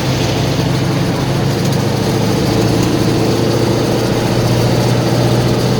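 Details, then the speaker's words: GAZ-66 engine that began knocking after water got into the crankcase, held at 2500 rpm: loud, rough rattling knock with the oil pressure warning lamp lit; owner suspects a connecting rod bearing on the front cylinders. "Обороты 2500. Звук страшный, конечно. Мне что-то говорит про вкладыш. Когда я даю газу, масло загорается. Отпускаю газ, масло немножко гаснет."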